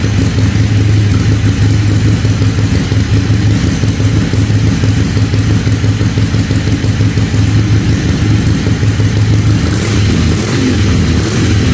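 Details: Harley-Davidson Ironhead Sportster after replacing the ignition part under the timing plate with a scavenged one, timing marks lined up, fixing backfire through the carburetor: loping V-twin idle, steady lumpy beat about three per second, no misses or backfires; running properly.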